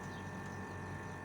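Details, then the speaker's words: Air conditioner outdoor unit with fan running and blowing hot air, heard at the unit to check by ear that the compressor runs: quiet steady low hum with a faint constant tone; compressor running normally. "Eğer bunları yapmıyorsa yani hiç yumurta ve dış ünite farları çalışıyor şu an sıcak hava gelmiyorsa makinamızın hemen bu kısmına geçiyoruz arkadaşlar bakın kompresörün sesi geliyor"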